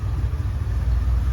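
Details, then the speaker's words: 1989 Chevy C1500 V8 after Edelbrock 1405 carburetor rebuild, stock cam: low even rumble holding a steady cold idle on its own, no stumbling, knocks or ticks; previously wouldn't idle below 1,000 rpm or idle cold for months. "Listen to that though, this truck is idling on its own while it's cold. It has not done that in months."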